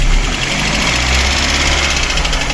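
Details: Cold VAZ 2108 petrol engine after sitting overnight, idling: fast, regular tapping knock over its low hum; camshaft first suspected, but oil-wet cylinder four plug and crankcase blow-by point to the piston/block.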